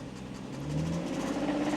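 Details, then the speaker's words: £600 auction car that failed its MOT, engine warmed up: on a light rev a quick, steady tapping grows louder, knocking like crazy from inside the engine; owner says the engine is gone. Engine knock when revved. "See, now it's warmed up. You can hear that knocking. And if I give it a little rev, you'll hear it knock like crazy."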